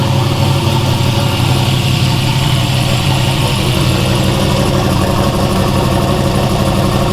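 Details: Turbo Dart 363 V8 Foxbody, new build, idling to get heads hot before lashing valves: smooth, steady low rumble with no knocks, ticks or odd noises; sounds healthy.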